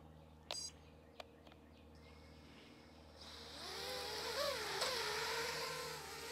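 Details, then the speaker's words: Drone on a line-of-sight test hover after flashing BLHeli_32 ESC firmware to version 32.8: a few clicks, then motors spin up to a wavering high-pitched buzz that settles into a steady hover; sounds healthy, normal hover. "all right it hovers yay that means everything's at least halfway decent"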